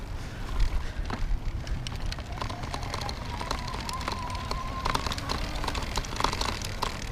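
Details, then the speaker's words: Oyama CX E8D folding electric bike, tires at 30 psi, riding over a manhole cover and rough ground: light clicky rattling of the plastic fenders over tire and wind noise. "You know, here's a manhole cover, and you could hear the plastic rattling."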